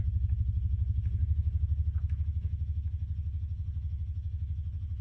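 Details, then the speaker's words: 1967 Fender Showman tube amp on the bench, all controls at zero: deep, steady putt-putt pulsing about 2.5 per second, a massive motorboating oscillation; technician suspects a broken ground, vibrato ruled out. "But we do have an oscillation, don't we? Or do we have Whoa. What is that? We have a massive oscillation. That sounds like a broken ground almost."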